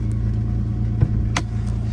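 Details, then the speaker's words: 1990 Mercedes-Benz 300E six that was cutting out badly the day before, which the owner blames on the battery rather than fuel: a smooth, even hum with a steady low pulse and no stumbles, now running lively. Finding: normal running. "I think a lot of that had to deal with the battery not so much of a fuel issue but yeah way more lively wow dude listen to this"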